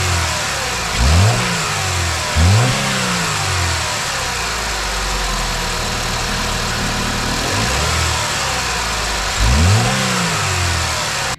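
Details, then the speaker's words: 2009 Chevy Malibu: steady idle, each quick throttle blip brings a brief squeaky rattle from the right side of the engine; weak belt tensioner causing the rattle. "When you start it up and you goose the gas a little bit, you get a little squeak rattle coming from the right side of the engine, and a lot of times you'll notice that the belt tensioner seems weak, and that's pretty much what's going on."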